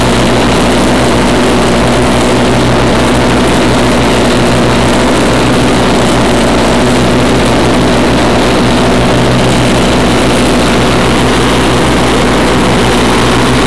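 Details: 1991 Craftsman GT6000, 20 hp Onan, first mow after deck lift eyelet bolt welded: loud, steady drone holding speed under blade load without surging or bogging; normal mowing under load.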